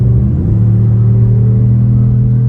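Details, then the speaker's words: 2018 Cadillac Escalade V8 after a DOD delete cam, shorty headers and a Magnaflow muffler, stepping on it from a highway cruise. A deep low rumble builds, mostly intake roar with a mellow exhaust note; a healthy V8 that sounds pretty good. "again, you still hear more intake than anything, but it sounds pretty good."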